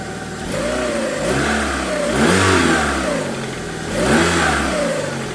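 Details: After cylinder head rebuild with new exhaust valves: sharp throttle blips rise and fall cleanly with no stumble between them; revs freely, no misfire or hesitation.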